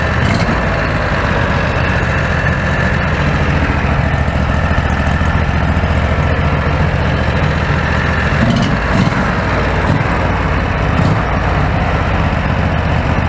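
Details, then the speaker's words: Predator 670 V-twin running after adjusting the stock carburetor (brass caps removed), which previously idled unstably. Smooth, even low rumble holding steady with no misses, surging or hunting. Running well. "running pretty good yeah it's running pretty good check it out"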